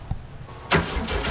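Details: 1967 VW Fastback, ignition just refitted and batteries charged: a thump, then steady cranking that never catches, even with starting fluid sprayed in. The engine turns but won't fire; the ignition keeps getting fried, so the owner suspects ignition trouble, not confirmed.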